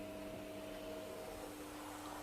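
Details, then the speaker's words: Induction hob after repair, glass refitted, testing a cooking zone with a pan on: steady airy cooling-fan rush with faint constant hum tones beneath, even and unchanging; drawing current and heating normally. "Voilà, on entend la ventilation tourner. Donc là, vous pouvez constater la consommation de courant."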